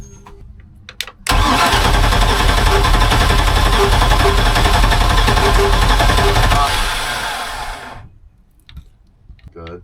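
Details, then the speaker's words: 1978 Sea Ray 24 ft with a MerCruiser 383 Mag Stroker, fed fresh gas over tanks of bad gas: it fires and runs hard for several seconds, then fades and dies with a backfire pop; owner suspects the good gas ran out. "good little mishap here oops backfired literally oops okay well all right just reattaching all the fuel lines I took off to clean out and uh hopefully fire right up that might have been all the good gas just ran out"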